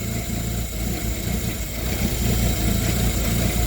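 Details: Yale GLP050 forklift with fault code 100.4 and lack of power: low, lumpy, wavering idle; running rich, oxygen sensor stuck at one and fuel trim not responding to a vacuum leak.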